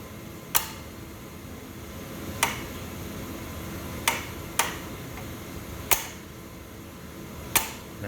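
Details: Boiler with intermittent on/off fault: mechanical temperature switches tapped give sharp, irregular clicks a second or two apart, contacts opening for a split second; technician doubts this is the cause since nothing vibrates them.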